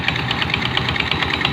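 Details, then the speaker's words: Rusi Fashion 125 scooter, customer complaint of noise on first start: fast, even ticking slap at about nine a second over a steady idle from the CVT side, caused by a loose, worn drive belt; belt to be replaced. "na ayan guys yung belt niya masyadong maano magalaw yung belt yan kaya maingay yung ano niya"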